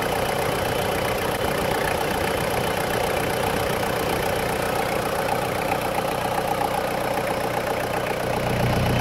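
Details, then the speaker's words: 2000 Toyota Land Cruiser Colorado VX J95, 1KZ-TE turbo diesel, under the bonnet with the oil cap off showing some blowback: a steady, even idle clatter with a smooth busy tick and no misses or heavy knocks; a healthy engine with no smoke. "here we go we're in like an oily sewing machine blowback"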